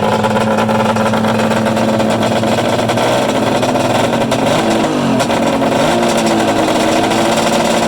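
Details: Freshly built Polaris 800 Storm mega-mod two-stroke triple, run outdoors. A raspy, steady note with pitch swings as the throttle moves and a brief stumble or two; occasional backfires, and the throttle cable is hitting the kill switch.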